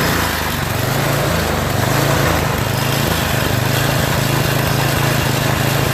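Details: Yard Machines MTD 8HP 24" snowblower, oil overfilled into the breather and carburetor, started on electric start; runs unevenly, speed hunting with heavy vibration. Engine surging.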